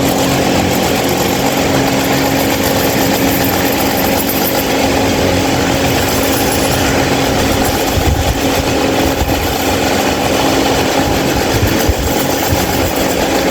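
Fan runs with a constant droning hum and a steady mid-pitch tone over rushing air, much louder than it should be; cause unclear.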